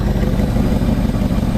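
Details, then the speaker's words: 2004 Jeep WJ 4.7L V8, first start after head and timing cover work, exhaust unbolted, no coolant, no accessories: loud rough idle with exhaust-leak rasp, no deep bottom-end knocking, sounds okay-ish: normal idle. "well it's running obviously it's got a massive exhaust leak since i don't have the exhaust bolted on uh the hayak i don't know it it sounds okay ish i think"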